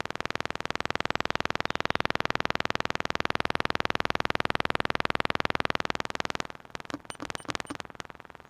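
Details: Jaguar S-Type satnav box in the boot: rapid, even clicking at about four per second for several seconds, then stuttering and stopping. Repetitive clicking, cause unknown.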